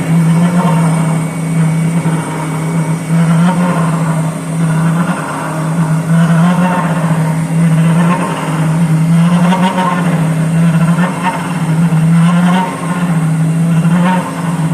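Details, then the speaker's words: Boring the Volvo axle for a repair sleeve: steady low buzzing tone throbbing about once every three seconds with the slow spindle, heavy chatter, a hundredth to go on depth; factory surface was similarly chattered. "yes there's the chatter we've got a 100 th to go on dep"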